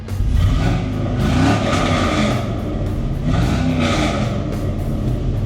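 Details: 1981 C10 with an LS swap, first start after upgrading to a 1987 R10 fuel tank and new fuel lines: strong, even V8 rev rises and settles with no misses or knocks. Oil pressure 45 psi after a gauge tap; it runs healthy.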